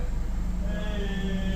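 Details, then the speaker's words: Engine idling steadily in gear with AC on after idle relearn, no shaking or RPM drop; previously idle dipped to about 500 rpm with blower/AC on, likely dirty throttle body, fixed without parts. "no more shaking turn on the AY no more shaking it's holding that steady 7 F so technically I really didn't need no parts to repair this vehicle"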